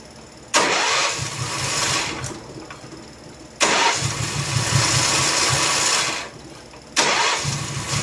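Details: Honda gasoline-powered welder generator catches on each crank, runs rough a second or two, then dies; fuel starvation, fuel shutoff valve rated for natural gas rather than gasoline.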